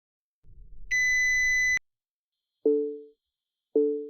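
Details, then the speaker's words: Recent Nissan warning for headlights left on: loud steady high beep then two soft lower dings; lights switch off automatically to protect the battery. "Das Geräusch ist etwas laut, wenn die Scheinwerfer eingeschaltet bleiben , deshalb mache ich es kurz."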